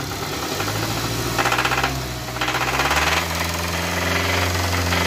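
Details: Hyundai Tucson engine with about 400,000 km: rapid, uneven knocking at roughly four knocks a second over the running engine; cause suspected but not confirmed.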